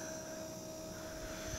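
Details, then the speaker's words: New Genmax 4500iBEFI fuel-injected inverter generator (4,500 starting/3,600 running watts), main switch turned on, engine not running; faint steady high-pitched whine of the electric fuel pump priming and pressurizing normally before start. "Okay, so now we're gonna turn on the generator, the main switch, and we should hear the fuel pump kick on, pressurize, and just make a little bit of noise."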